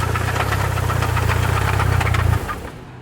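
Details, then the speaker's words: Mitsubishi Evo 4 while driving: loud heavy knocking at roughly four beats a second over a deep engine drone, then it dies away as the car stalls; sounds like rod knock but feels like transfer case or transmission, and a loose drivetrain part is suspected. "it feels like transfer case or transmission but it sounds like [ __ ] rod knock and the car keeps stalling"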